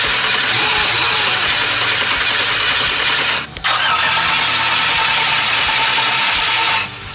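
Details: Budget LS swap Fox-body Mustang with Aeromotive fuel pump, after priming: engine fires and runs rough and loud a few seconds then dies; start-and-die, fuel pump ground not working, later hard-grounded.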